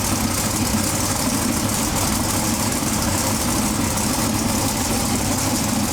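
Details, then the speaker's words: Twin-turbo big-block pro mod drag car, first fire-up after 2.5 years of chassis and engine changes, new Turbo 400 transmission, topping up fluids. Steady, even rumble and roar, no misfires or hunting. Normal running. "and bang it fired right up so now we're just catching up with liquids and fluids and whatever else it needs"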